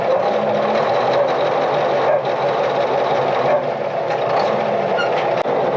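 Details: International TD20E bulldozer being serviced, at idle; it is not charging and the hour meter and voltmeter don't work: a steady, even diesel rumble with no knocks or misses. Smooth, healthy idle.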